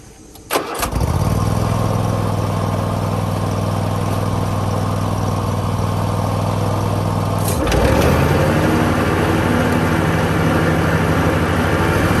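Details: Hustler Raptor SD 54-inch zero turn mower after deck belt replacement; engine catches after a brief crank and settles into a smooth, even run with steady beat, no knocks or rattles, healthy.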